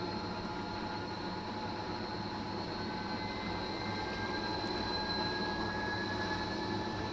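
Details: Fisher & Paykel direct-drive top-loader washing machine after replacing the main drive bearings (6005 2RS) and shaft seal: smooth, steady whir rising as the drum spins up, no grinding or rumble; bearings sound healthy.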